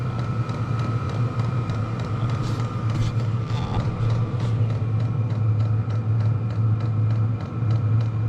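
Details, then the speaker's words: Diesel heater turned down from level 10 to level 5 (half power): steady low combustion-fan roar with faint, even fuel pump ticking; runs smoothly and still produces quite a bit of heat. "So we got her turned down to halfway. Still seems like it produces quite a bit of heat."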